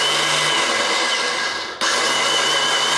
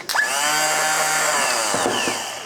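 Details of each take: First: BMW K100 motorcycle, starter refitted, in neutral: high electric whir with no compression beats, cut and restarted; the starter spins free without turning the engine, the common sprag clutch fault in the starter assembly. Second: BMW K100 motorcycle starter motor spins up with a clean rising whine and runs smoothly with no grinding; motor works, but per the manual, starter rotating without turning the engine suggests a defective starter sprag clutch.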